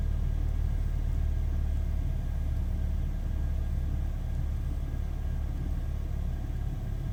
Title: BMW E46 318i N46B20 Engine Sound at Cool Startup (MAF Problems)